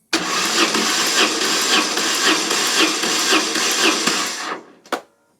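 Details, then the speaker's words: BMW GS motorcycle, compression test on the weaker cylinder after valve clearance adjustment and tensioner work: starter cranks without firing, even pulses about twice a second; compression now about 130 PSI, matching the other cylinder, up roughly 15 to 20 PSI. "Okay, wow, so we have pretty much now the same as what the other side is. Like, they are pretty bang on together, and we've actually increased it more than 10 PSI."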